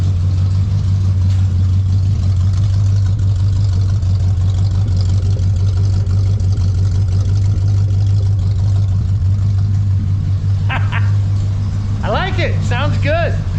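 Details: 1970 Ford Falcon barn find, 29+ years sitting with a frozen engine, newly fitted glass-pack exhaust, idle adjusted down: deep, steady burbling idle, even exhaust note, no knocks or misses, about 35–40 lb oil pressure; radiator leaking, some squeaks.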